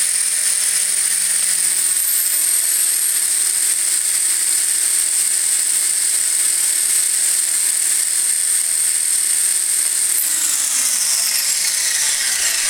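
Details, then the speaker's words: Furion 6 helicopter, iKON flybarless governor, Hobbywing RPM sensor, Castle HV ICE II 120 ESC, stunt mode 2: rotor whine holds steady about ten seconds without surging, then spools down; earlier headspeed hunting not recurring, owner suspects computer connection. "i'm pulled up in stunt mode two right now and it's not doing it"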